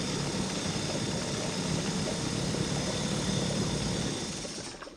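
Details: Mercury 2.5 hp two-stroke outboard that sat for long periods, tank cleaned of debris and fresh fuel added; buzzes at fast, slightly uneven idle then sags and dies within seconds: engine stalling after running briefly, carburetor suspected.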